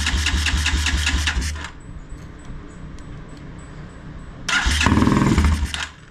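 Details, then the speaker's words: Motorcycle during a tune-up after carburetor cleaning, fuel squirted in: it catches and runs rough for a second or two, dies, fires again briefly and quits. Starts then stalls; owner wonders if the carb needle is stuck again. "well it lasted longer than before"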